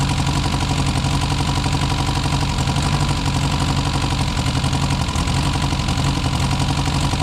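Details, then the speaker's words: Four-cylinder car restarted after sitting some 35–40 years, no adjustments made, choke in use: idle stumbles and surges unevenly with occasional dropped firing; rough idle, owner suspects timing is off, rings and valves still bedding in. "okay so she's running pretty rough but I think sounds like it's firing on most of the time on four cylinders timing's probably off"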